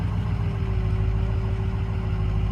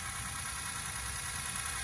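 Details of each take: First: Ford 6.0 Powerstroke diesel on its first drive after rebuild, at about 174°: a steady mid-pitched power steering pump whine over the idle, with the fluid just filled. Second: Freshly rebuilt Ford 6.0 Powerstroke diesel V8, bored 10 over with balanced rotating assembly, first cold start: fast hard injector chatter lasting fairly long, normal for a cold start and sounding good.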